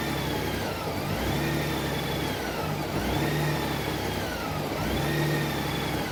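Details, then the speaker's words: 2012 Honda Goldwing during warm-up at about 63°C, throttle held steady. The engine speed sags and recovers about every two seconds as the PAIR air-injection valve cycles. Revving more lugs it down; warm-up stumble before the O2 sensors come online. "If I rev it up more when it's engaged, it's really lugging the engine down."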